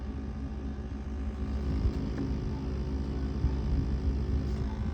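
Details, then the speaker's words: Refrigerator condenser fan at the back, cover removed, fan area clogged with dust and lint: loud, steady low hum coming from the dirty fan, recorded before cleaning. "see this fan right here see all the dusty lints and stuff see that that's where the sound coming from"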